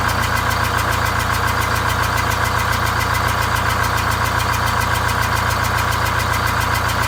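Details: Greyhound Scenicruiser vintage bus diesel with automatic transmission, fan off, idling after restart on 7 cylinders with one bad cylinder bypassed: loud, steady, slightly lumpy beat about 3.5 per second from the missing cylinder; new exhaust and welded muffler fitted.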